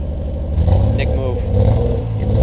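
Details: 1991 Nissan 240SX (S13) with an RB20DET turbo engine swap, revving with a lumpy, uneven low beat and stumbling exhaust pulses; sounds like a bad misfire, cause not known.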